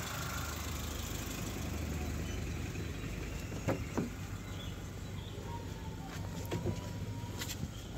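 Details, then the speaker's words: Suzuki Swift engine at idle, heard from the cabin, after manual throttle body cleaning: quiet, steady, even hum with no hunting or surging. Before cleaning, the rpm fluctuated between about 1300 and 1100, so this is now a normal idle. "मित्रों को देखना पूरी तरह से सही। . इस से पहले यह लगभग 700-800 रहा होगा। नहीं। अभी देखें पूरी तरह से सही।"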